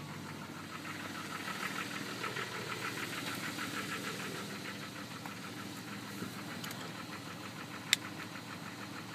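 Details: Jeep WJ engine: fast, steady light ticking over an even idle hum; the owner is unsure whether the sound is a problem; origin unknown.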